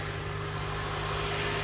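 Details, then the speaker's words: 2005 Honda Accord manual, 206,000 miles, sat several years, just jump-started after cleaning battery terminals: steady even hum at raised idle, no dip or hunt, revving to about 2,000; high idle. "All right, this has a high idle. That's okay. Shifting good too."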